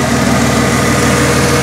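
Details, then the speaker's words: 1996 Ford F-150 4.9L straight-six, running after first start-up following reassembly with manifolds, valvetrain and non-adjustable rockers reinstalled: smooth, even idle with steady rumble; lifter noise gone once oil pressure pumped the lifters up, running healthy. "all right guys so here you can hear it the lifter noise went away finally got enough oil pressure pumped them all up uh it's running great everything's looking good"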